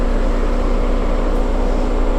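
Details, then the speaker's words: Jeep JL Wrangler 2.0-litre, electric Hurricane cooling fan running, probably on low speed: steady, even loud rushing roar with a faint hum, no pulsing or rattle; loud but normal, quieter than the 3.6. "Now guys, this cooling fan is really loud, but I will have to say this. The 2-liter seems to be a little quieter than the 3.6."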